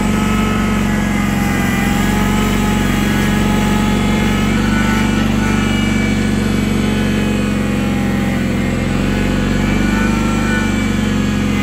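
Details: 1983 IH Cub Cadet 782 garden tractor running after start-up: small single-cylinder engine chugging at a steady, even pace with constant low hum; healthy and settled.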